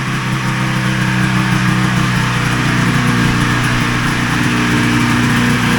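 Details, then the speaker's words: 1980 Ski-Doo Citation SS two-stroke engine after points, coils and carbs were fixed, full tank, no air box yet, idle not yet set: steady buzzy idle with no misses or surging; runs smooth. "Seems to run pretty smooth, and I think I can be happy with that."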